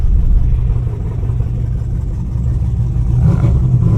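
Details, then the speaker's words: Tuned Camaro V8 chasing a misfire, pulling under load with the foot down: uneven, stumbling exhaust beat that surges and sags in reduced-power mode; no code stored and idle surges; cause not found. "throttles crap I have my foot down the same way I did before and it's in reduced power"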